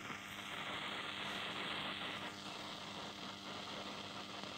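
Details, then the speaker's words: 1973 Zenith D-587 stereo in phono mode with the bad FM front-end RF-amp transistor reinstalled: a constant hiss with irregular crackling static over a faint hum. The transistor still tests okay but is noisy. The electrolytic capacitors tested good. "So I put the bad transistor in and you can hear all the noise and the static, and the rest of the electrolytic capacitors all check perfect, no leakage, low ESR and right on the money."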